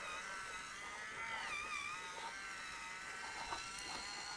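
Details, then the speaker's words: NZXT H1 PC (GTX 1080 Ti, crashing): the refilled water-cooling pump, powered separately, hums with a thin wavering high whine and a faint gurgly rattle from air bubbles trapped in the loop; fix is bleeding while topping up fluid. "yeah something not quite right there I feel so unplug that okay so this is the hard part now trying to complete all the air bubbles out"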